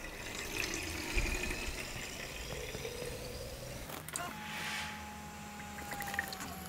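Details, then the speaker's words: Budget 70€ PC custom water-cooling loop (5950X, RTX 3070) pump at full speed: gurgling water rush with steady thin whine coming in midway; good flow rate but audibly noisy pump. "the flow rate of the pump is is not even bad i mean you can hear some noise maybe it's possible to reduce the fan speed or the pump speed maybe but yeah the pump power that's quite impressive"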